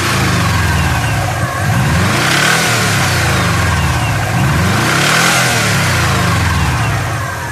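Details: Subaru EJ20 engine revving up and down: dull uneven knock riding on top, rising with rpm; source not identified.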